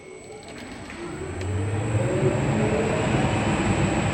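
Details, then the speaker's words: New spray booth with three-phase fan motors set up for cars, started at 23°C early morning: soft airy rush builds then settles to smooth even hum, no knocks or rattles; far quieter than the old single-phase booth, normal. "It's a few additions compared to my old booth, but sound of that is way quieter than my than my single phase one that I had."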